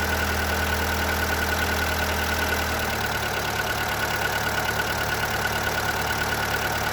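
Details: Seat Ibiza 1.4 BXW petrol engine at idle with a light, fairly regular tapping about three per second; suspected piston slap, which this engine is said to be prone to.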